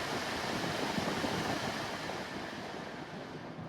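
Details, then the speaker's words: 92k-mile 2011 Honda Odyssey EX-L VMI Summit van with ice-cold AC: the blower runs at high fan speed with a steady, even rush of air, no ticking, rattle or squeal; all fan speeds work. "All right, let's take a look at our air conditioning here. Ice cold AC. Has all the fan speeds."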